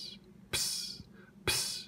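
Short sharp hissing spits about once a second over a faint hum; the syrup pump is leaking CO2 and spitting.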